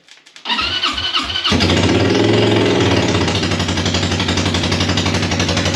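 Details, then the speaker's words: Buggy first started after its rebuild following a fire, with a new gas tank and a welded battery box. The starter cranks for about a second, then the engine catches and settles into a strong, even, fast-firing run. "Sounds like a scream, baby. Oh yeah, she's back. She's back alive again."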